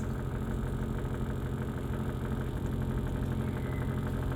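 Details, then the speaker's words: Brastemp BWK 12 kg washing machine filling slowly with little water: steady low electrical buzz over rushing water from a faulty water inlet valve, making the cycle take very long. "problema dela pessoal Caino pouca água Olha a vocês ver ao fundo e fazendo esse barulho pessoal Escute aí vocês"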